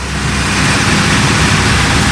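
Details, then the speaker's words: Bayliner cabin cruiser MerCruiser V6 after months laid up, fuel about 2 years old, just started and warming at idle: smooth even low rumble at tickover, no misfire or knocking; healthy. "so there we have it the uh engine's nicely started ticking over nicely get that down to idle and we're warming up"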